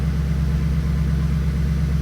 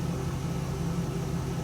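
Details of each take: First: Stock 2002 Pontiac Trans Am WS6, 190,000 miles, check engine light on: low steady idle just after start with a faint occasional stumble, a mild misfire; brief possible lifter tick that went away. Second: Stock 2002 Pontiac Trans Am WS6, after new spark plugs fixed a misfire: smooth, even low idle hum with no stumbles or skips, running clean on all cylinders.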